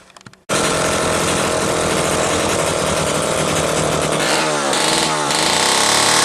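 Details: Homelite Super Wiz-66 chainsaw test run after carburetor repair: loud, steady two-stroke scream at high revs holds even without sag or stumbling; saw runs clean and healthy.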